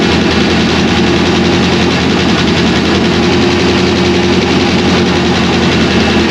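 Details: 2001 Pontiac Trans Am WS6 with a roughly 500hp cammed LS1 on its first start since dyno break-in, still untuned on stock injectors and MAF, new K-member fitted: loud, deep, lopey idle with an uneven choppy beat, running steadily; healthy cammed V8 idle.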